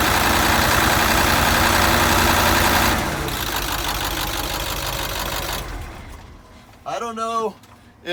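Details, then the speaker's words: International T444E diesel after roadside repair running without the #4 piston, first start after injectors removed; loud clatter with uneven lumpy beat under a light rev, then settling, running a cylinder short, not shaking badly. "it's really not shaking that bad it's definitely something that can be put up with"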